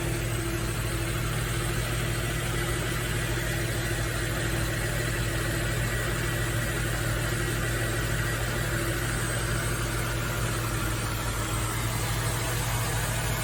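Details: Nissan Fairlady Z Z33, VQ35DE V6, automatic, 310,000 km, just after a DIY engine overhaul: steady, even idle with a smooth low hum and no knocks, ticks or hunting. The engine runs cleanly.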